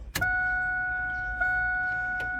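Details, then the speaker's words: Drag car Alloyworks surge tank after replacing a failed fuel pump, battery reconnected and key on: a relay clicks, then a steady, even electric hum as the pump primes, running normally. "all right battery [Music] connected now we should be able to hear the pump"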